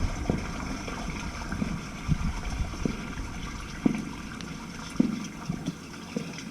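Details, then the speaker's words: Main house sewer line just cleared of a clog, toilets flushed: steady gurgling rush of water with occasional splashes, running freely out of the line with no backing up; normal drain flow. "give me two or three more flushes and we'll make sure she's coming out because we can't see the curb of course but it sounds good she's running right out"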